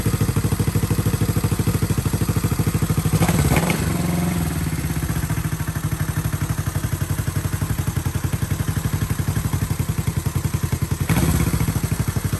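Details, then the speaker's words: Unrestored vintage Honda CB450 motorcycle on very low fuel: fires and settles into a steady, even idle thump with a couple of clean blips; running normally. "you are lucky it's running on hopes and dreams right now so sweet dude"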